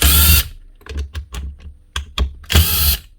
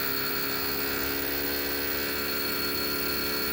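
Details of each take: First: Power drill with burnt commutator segment: two brief rough bursts, with clicking heard when the chuck is spun by hand; failed armature. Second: Dewalt D25033 SDS hammer drill after the spring, fan, air deflector and grease were fixed: it spins up to a steady, even hum with a clean motor tone for about four seconds, then switches off; running healthy.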